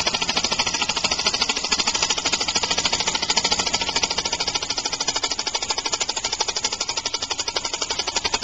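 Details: Homemade compressed-air engine on its first start (1-inch stroke, steel cylinder, aluminum piston and rod, brass flywheel, valve shaft doubling as crankshaft): fast, hard chuffing clatter with uneven beats and a shaking pulse; rough running from an unbalanced flywheel and early valve timing.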